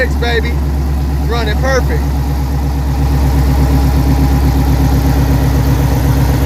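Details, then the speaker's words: 2010 Dodge Charger Pursuit police car, first start after Texas Speed stage 2 cam install, exhaust not yet fitted: choppy V8 idle with steady cam lope, idling a little high, tick gone, engine light on; running healthy. "You hear the cam. Anyway, thought I'd show it. It's idling a little high."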